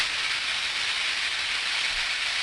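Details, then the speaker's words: Ultrasound recording of a switch insulator taken 30 days after an earlier one: continuous frying hiss with lots of crackling and popping. The electrical tracking appears to have degraded over time. "a lot of popping going on there isn't it you think it kind of degraded over time by the way there was 30 days in between these recordings"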